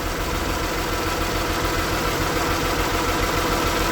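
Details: 2008 Mazda CX-9 with cylinder 1 misfire and P0201 injector open-circuit code; steady idle with a slightly uneven, loping beat from the dead cylinder, traced to a failed fuel injector while its power feed and control wire tested good.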